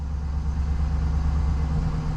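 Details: 2005 Chevrolet Silverado 1500 5.3L V8 after new oil pump and pickup tube: steady, even low idle rumble with no knocks or ticks, oil pressure up to about 62, far better than before.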